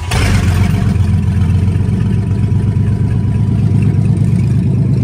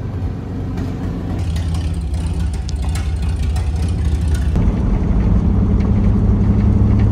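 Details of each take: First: GMC truck abandoned 15 years: engine revs strongly and evenly without stumbling or dying after exhaust, clogged with cat food suspected to have been stuffed in by rodents, was removed at the manifold; runs normally. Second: GMC truck abandoned 15 years, now revived. A loud, raw, deep rumble swells with each throttle blip. Exhaust leak: the pipe is disconnected at the manifold and still needs welding.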